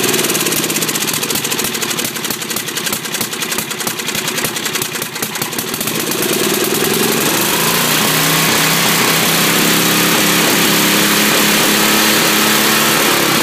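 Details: Briggs 10 hp engine after carburetor adjustment (both mixture screws about 1.5 turns out), governor now working: fast ragged cranking chatter, then it catches and settles to a steady high drone; carb suspected still far out of adjustment.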